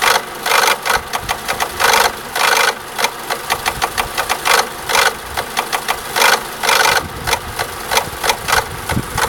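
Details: Renault Laguna II 1.8 16V petrol, engine code F4P 770 (BG0B), at idle; sharp, slightly uneven metallic tapping about two to three taps a second, first blamed on a faulty tappet, identified as a faulty cam dephaser.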